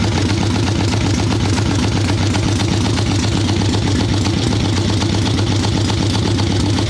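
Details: Harley ironhead Sportster XLCH chopper V-twin, Mikuni VM38 carb, idle tuning on fresh plugs, cold wet day: loose, lumpy idle with uneven beats about four a second, soggy and lazy; running too rich, owner suspects not only carb.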